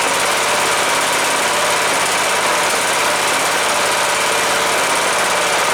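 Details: Cub Cadet LTX 1045 Kohler Courage single-cylinder engine after repairing the counterbalance behind a knock (run low on oil) and oil change: smooth even running, no knock under exhaust note; normal running.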